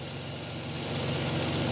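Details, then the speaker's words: Oldsmobile revived after sitting for years, fresh oil change, running about 10 minutes and sometimes dies after 15 to 20: steady idle with fast, sharp, loud fuel injector ticking. "Something that's interesting is how loud these injectors are. Listen to this tick."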